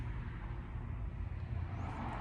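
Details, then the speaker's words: Ford Powerstroke diesel idling with a deep, uneven rumble that wavers and dips like a misfire, with no codes; it shakes once warm. "es el motor de se empieza a temblar mucho como que si tuviera un mes fire pero no es el mismo"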